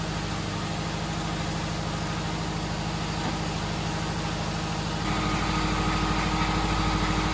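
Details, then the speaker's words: 1973 VW Bus EJ25 swap, Subaru engine started after wiring the starter switch input directly and clearing codes; catches and fires evenly on all cylinders, idling a touch high, radiator fans unconnected: slightly high idle. "idle is a little high but I don't think that's a big deal sounds like it's firing fine right now"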